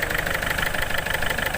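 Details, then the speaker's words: Ford Figo diesel starts late with the check-engine lamp blinking. It knocks loudly with sharp metallic knocks over a rough idle, the engine shakes, and rpm won't rise under throttle (low pickup). The cause was faulty injectors, fixed by replacing them. "ये देखिए ये कितने ज़ोर से knocking कर रहा है और आवाज़ भी हो रहा है। ठीक है, बहुत नॉकिंग कर रहा है और आवाज़ भी बहुत हो रहा है। कांप रहा है, जैसे हिल रहा है इंजन"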